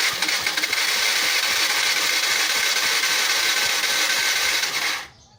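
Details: Yamaha Fino carbureted scooter, battery charged; about five seconds of fast even starter cranking with no firing. Spark present but weak, spark plug suspected worn; cause unconfirmed.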